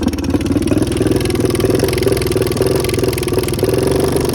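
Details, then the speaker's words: 2014 Honda CRF125F that never ran right after the previous owner's rebuild, with no power and heavy smoke. Rough, uneven idle with a loud pecking tick on every firing pulse: cam chain timing found to be out. "the previous owner said he just rebuilt it and it never run right since it runs but it has a loud pecking noise coming from the engine it has no power whatsoever and it smokes a lot"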